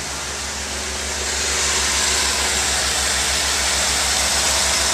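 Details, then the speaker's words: 1992 Ford Falcon 190 van, first cold start with electric fuel pump: even low pulsing idle with rising hiss as fast idle settles; temperature still cold, oil pressure and voltage good, no knocks or misses. "you can see the uh the temperature is still cold the oil pressure is good the voltage is good"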